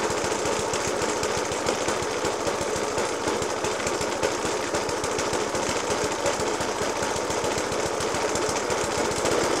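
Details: 1991-era Suffolk Punch 30S mower with a Dellorto FCH 20 carb: uneven idle with sharp, rapid bangs in a jerky rhythm. Persists after a new spark plug, decoke and carb clean. Cause unknown.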